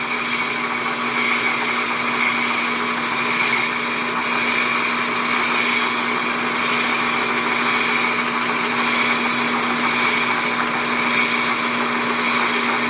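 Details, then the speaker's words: Hobby belt-driven lathe boring a hole in a model Stirling engine part, at .430 taking a 20 thou cut: steady high-pitched squeal over lathe hum, boring bar chatter; chips packed in hole, may need lapping. "Oh, start squealing. I was hoping to get by without having to lap that hole. Come on, quit it."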